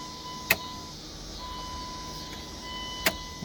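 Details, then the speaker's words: 1999 Dodge Durango after intake manifold replacement (was using a quart of oil per 250 miles), key cycled: relay click, faint steady high hum a couple seconds, another click; normal fuel pump priming. "Now I'm going to cycle the key a couple of times to prime the fuel system."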